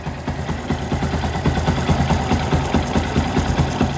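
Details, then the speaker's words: Yamaha Byson idling about 500 km after an engine rebuild, valves already adjusted, some oil loss: quick even tek-tek tick plus faint rattle; owner suspects oil, cam chain or its tensioner, not confirmed. "kita dengarkan suaranya semacam ada suara tek tek tek terus ada suara agak gemericik itu ya"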